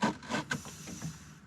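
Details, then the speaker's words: VW Mk1/Mk2 Cabriolet with AC, vacuum-controlled dash vent selector: a short run of dry rubbing squeaks over a faint vacuum hiss as the stiff lever moves, rubber binding on plastic. "however if you listen closely this lever specifically is almost always hard to move and it makes weird noises when you move it"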